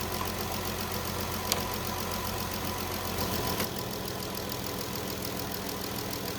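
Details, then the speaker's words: 2017 Dodge Journey after PCM replacement for a failed cylinder 2 injector driver (P0202 misfire), not yet warmed up: even, steady idle with no misses or stumbles, a smooth constant hum; running properly, with the cylinder 2 injector pulse restored. "PCM is in right now we're running smooth we do need to let it run warm up and then go on a test drive make sure that the injector is going to stay firing and everything's okay"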